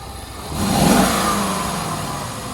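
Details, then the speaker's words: Previously non-running Bentley after ECU work: engine catches and swells into a smooth rev, then settles to an even run with no knocks or misses, sounding healthy, though dash faults are showing. "ah that is so beautiful to hear that running"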